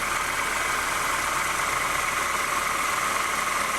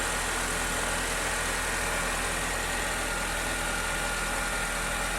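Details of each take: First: 2008 Honda New Civic, cold, at low revs, accessory belt tensioner already replaced twice; constant bearing-like whirring whine that does not diminish, traced with a stethoscope to a worn power steering pump bearing. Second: 2008 Honda New Civic, first cold start after sitting overnight, after fluid change: smooth even cold idle, steady hum, no whine, chirp or metallic noise from belt side; healthy.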